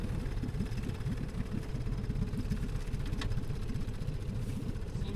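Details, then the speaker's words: 1966 Evinrude 9.5 outboard on the water after a carburetor cleaning and rebuild: steady, even low putter with no misses or surging, spitting out cooling water; running healthy. "we're gonna give this a shot and see if our carburetor rebuild worked and if the motor runs listen to that"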